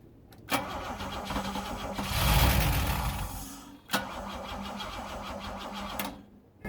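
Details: Bitter SC 356 no-start, possibly weak battery, spark confirmed by timing light: on starting spray the engine catches and revs briefly then dies, confirming fuel isn't being delivered.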